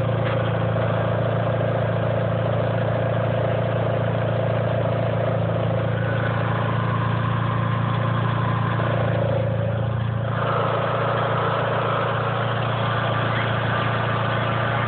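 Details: 2G DSM Eclipse at idle with a faint quick tick above the valve cover that the owner believes is lifter tick, plus a low drone heard under the car whose source is unknown.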